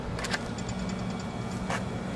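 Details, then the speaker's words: Split air conditioner outdoor unit when the fuse block is inserted, run capacitor removed: low steady electrical hum with no run-up, the compressor trying but failing to start without the capacitor. "might hear the compressor humming trying to start but without the capacitor it's not going to be able to"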